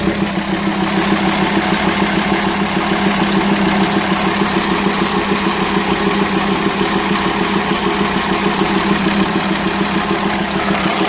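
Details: VW Transporter T5 2.5 AXD/AXE diesel: rough idle with fast, steady top-end clatter, low power, noise from head and intake, metal dust in oil. Camshaft worn by lack of lubrication from leaking plugs; fixed by welding the plugs and replacing camshaft, tappets and bearings.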